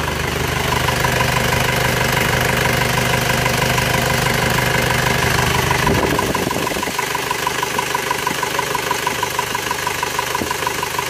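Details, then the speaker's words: Isuzu Panther diesel after rebuild with cast liners: steady, smooth idle with a fast, even puffing tick, about three a second. The exhaust flex pipe is leaking and is to be repaired. "Ini fleksibelnya bocor. Nanti kita bawa ke tukang kenapa untuk diperbaiki. Gasen kennenapotnya sudah parah ini."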